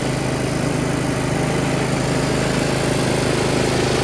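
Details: Yard Machines (MTD) 38" riding mower, 13.5 HP Tecumseh engine, running: even, steady single-cylinder putter with firm low beat, no misses or knocks; normal running. Owner suspects possible carb issue after an earlier stall.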